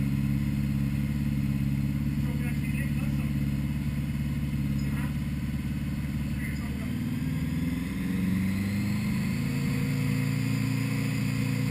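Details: 1980 Honda GL1100 Goldwing, first start after a carb rebuild for a rich mixture (new idle screws set to 1-1/4 turns, floats at 15.5 mm): smooth, even low flat-four burble with a brief rev dip and no misses, pops or rattles; running cleanly.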